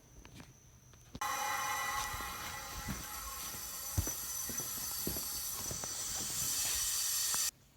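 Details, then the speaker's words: 2000 Saturn SL1 with a miss at low-rpm cruise and later at idle, no fault code, low compression on cylinder 1: shop air fed into the cylinder gives a steady hiss escaping out the exhaust pipe, indicating a burned exhaust valve. "so clearly my leak is out the exhaust pipe I have an exhaust valve uh evidently burned"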